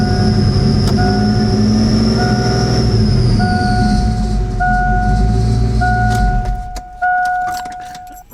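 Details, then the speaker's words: 1988 Ford Mustang GT Fox Body, after replacing the EVR solenoid and cleaning the EGR valve: rough engine beat catching and stumbling about four times a second over a steady whistle; stutter unchanged, cause still unknown, few codes available. "Yeah, she's still stuttering, man. Just as bad as ever. Look at that. That's horrible."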